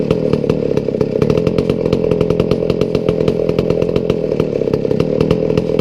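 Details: McCulloch 797 123 cc two-stroke chainsaw, sat unfired for years, fitted with a foo bar fuel system and filter, at full throttle: buzzing hard at steady high revs, even and clean, no stumbling or misfire; healthy running.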